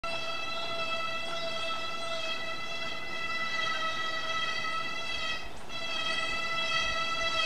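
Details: Brake noise: loud, steady, high-pitched squeal holding its pitch throughout over faint rumble, squealing nonstop, louder than a bear bell; cause not yet known.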